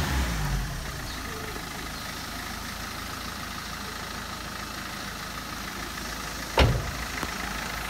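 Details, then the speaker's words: Car idling after a loose battery wire was fixed following a crank-no-start: steady, even idle with a smooth low hum, no misses or knocks, one brief handling bump; engine running normally. "लो जी गड्डी अपनी हो गई है start finally. इनू यदी जी बैटरी वाली तार सी लूज सी हम आप फिक्स करती है तो गड्डी जी हम बिल्कुल ठीक है स्टार्ट हो चुकी है।"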